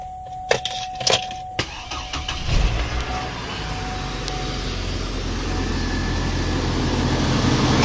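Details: Hummer H3 3.5L engine after replacing the squeaking serpentine belt: a few clicks and a faint tone, then the engine starts and runs evenly with no belt squeal; normal running.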